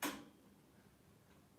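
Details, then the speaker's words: Westinghouse searchlight railway signal being wired, relay controlling the circuit while cycling aspects: one sharp click, then near silence with faint ticks. The relay switches cleanly and normally. "we've got relay controlling our plugs and disconnecting the circuitry soon for this signal to work"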